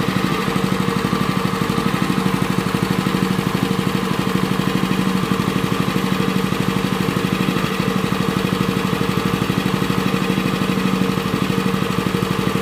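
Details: Honda WL30XN 3-inch water pump engine after one year of use with its engine oil never changed: a quick, steady single-cylinder beat with no rattles or misses. It still sounds smooth with good suction, so normal running.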